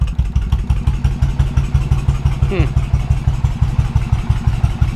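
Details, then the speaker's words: 2000 Suzuki Intruder 1400 V-twin, said to have low compression: steady even loping beat, about three pulses a second, no dropouts, firing both cylinders while warming up on choke. "It's got compression. Imagine that. It's running on its own right now."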